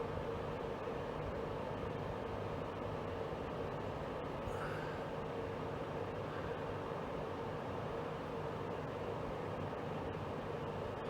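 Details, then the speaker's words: Portable AC after its overheating exhaust (evaporator) fan motor was repaired. The fan runs only while the compressor runs, in a 22-degree room, blowing cold air. Steady, even airflow rush with a faint hum and no rattles: normal cooling operation. "notice the exhaust fan on this only works when the compressor's running which does make sense obviously it's not uh generate heat in the evaporator unless they're compressors running so that does make sense"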